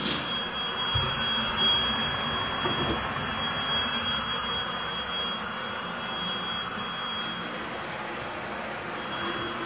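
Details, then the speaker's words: Master bath soaker tub faucet on hot only, water around 100–108°F: steady thin high-pitched whistle rides over rushing water throughout filling, a valve or cartridge singing under hot-water flow. "makes that noise that's kind of annoying as well his high pitch meaning ille filling up and still making that noise"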